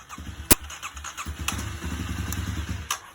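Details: 2009 Kawasaki KLX250S just after its carburetor jets were cleaned and fresh gas added, started on choke: a few coughs, then the single catches and settles into a quick, even putter. Normal start and run.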